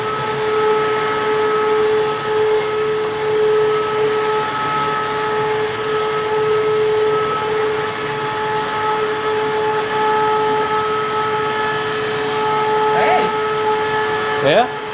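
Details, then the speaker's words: Eureka Whirlwind LiteSpeed upright vacuum switched on with the brushroll not spinning; a loud steady motor whine with a clear high tone and no brush slap. "i'm gonna turn it on but the brushroll won't be spinning so um this machine is rather loud"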